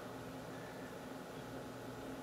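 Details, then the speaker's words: PC with H220 cooler, normal setup, all fans on, side panel on, SpeedFan control active, hard drive still loading: quiet steady fan rush with faint low hum, no rattles or ticking, under 40 dB against 30 dB baseline; normal idle. "sound at idle is actually quite low it's almost i want to taste off he's not silent but it's enough to be under 40 decibels"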